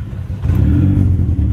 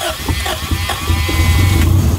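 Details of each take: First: Honda Civic (EK) after a new timing belt and tensioner. Deep, even note rises smoothly when revved, with no knocks or ticks; the engine sounds solid and undamaged. Little smoke. Idle trouble is blamed separately on a bad IAC. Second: 1999 Honda Civic DX (EK) just started after a timing belt and tensioner replacement. Revs hunt up and down and need throttle blips to keep running. The unstable idle is attributed to a bad idle air control valve (IAC).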